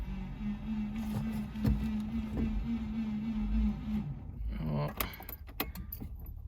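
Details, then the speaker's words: Subaru Liberty wagon that sat for years on a farm, in 40-degree heat: starter cranks steadily with even compression pulses for about four seconds but it never fires; owner suspects no fuel pump. "it's winding but it's not doing anything come on nothing"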